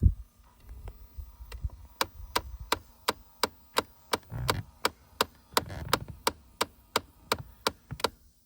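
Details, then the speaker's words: 2011 Ford Mustang, key on, cabin: sharp dry knocks about three a second over a quiet hum; unplugging one blend door actuator stopped the clicking, pointing to it as the likely culprit. "I think I found the culprit. If you see, I unplugged that one right there. And now when it goes through its cycle, it doesn't do the clicking anymore."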